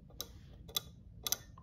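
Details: Ford 3-pin horn relay from 1973-1986 trucks, bench-tested with a battery, inline fuse and ohmmeter: sharp crisp clicks each time power is applied and removed, three in under two seconds, no buzzing; relay switches cleanly.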